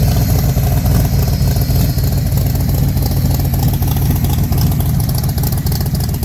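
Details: Factory Five MK4 V8 after installing GP Headers with Factory Five side pipes: deep, even burble rising and falling with revs, with no ticking or puffing at the headers. The previous exhaust leak is gone; normal exhaust note.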